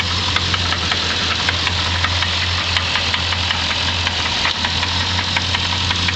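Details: 1990 Infiniti Q45 V8 at idle, noise began: sharp, regular light knock ticking through steady idle; owner suspects rod knock, unconfirmed; car later sold as is.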